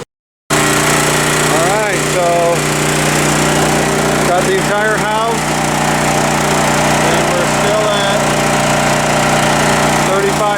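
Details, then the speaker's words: Champion 41532 7000/9000W generator converted to tri-fuel, at 3540 RPM powering the whole house through the home panel (range, water heater, water pump on, AC off); steady even drone with no hunting or surging, carrying the load smoothly. "3540 RPM. Got the whole house on."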